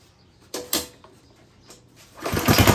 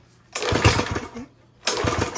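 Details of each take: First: Craftsman lawn edger, 140cc engine, reassembled after cleaning a lot of dirt from the carburetor: a couple of pulls, then it catches and settles into a steady, even buzzing run at fairly low speed; sounds healthy, though owner unsure whether it should run faster. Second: Craftsman lawn edger, 140cc engine, with lots of dirt in the carburetor/intake: it catches in uneven bursts with dropouts and never settles into a steady full-speed run; it runs poorly and slow.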